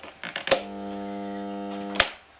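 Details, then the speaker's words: Bosch garden shredder that had been running in random directions regardless of its switch. A switch click is followed by a steady hum for 1.5 seconds with no run-up, because the rotor isn't jammed but won't turn. The cause is unconfirmed. "But there's no actual, the rotor, the grinder part, the part that does chops up all the sticks, isn't stuck. It's just not going round."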